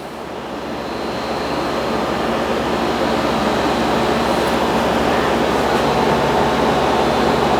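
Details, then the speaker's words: Fridgemaster 12300 BTU portable AC with conventional compressor, single fan speed, cycling due to drain-free moisture purge, about 63–66 dB: loud steady roar swells as compressor kicks back in, then harsh drone; loud compressor noise on restart. "and I'm pretty sure the audio is capturing the inconsistent noise of the compressor or the fan or whatever that is"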